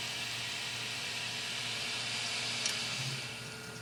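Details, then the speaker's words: PC with an old ATI Radeon graphics card, at about 97°C: a steady airy fan whoosh with a faint hum and high tone. Much of the sound comes from the graphics card fan, alongside the CPU, case and power supply fans. "on a lot of that sound is actually coming from the graphics card thing on this old ATI radi"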